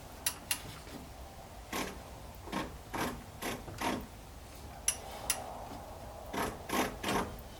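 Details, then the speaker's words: 1964 Ford Thunderbird dormant nearly 30 years, engine turned by hand with ratchet, transmission apparently in reverse; quiet uneven ratcheting clicks in short bursts about two a second; owner suspects transmission, unconfirmed. "If anyone happens to know what that kind of clicking sound is as I turn the engine, it would have to be something in the transmission. From the sound of it, it sounds like a ratcheting."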